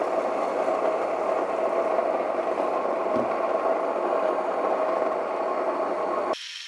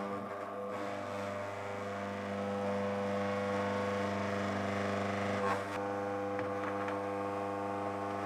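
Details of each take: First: Mockmill 200 grain mill coarsely milling oats at setting 17–18: an even, steady grinding rush with no knocks or labouring, running normally. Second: Mockmill 200 grain mill running empty: steady motor hum with faint, slightly uneven ticking as the stones just begin to touch, marking the zero-gap finest-grind point when resetting the adjustment lever; tightening further could damage the stones.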